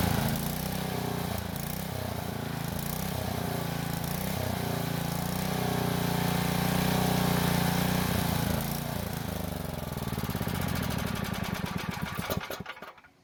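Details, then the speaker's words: Powermate generator, after a carburetor cleaning, shut down by closing the fuel valve while the choke is increased as it stalls to draw the bowl dry. The small single runs steady, then loosens, stumbles, sputters and dies, starved of fuel. "So what I was doing was, as I was trying to stall, I was increasing the choke. That way it tries to draw in as much fuel from the bowl as possible."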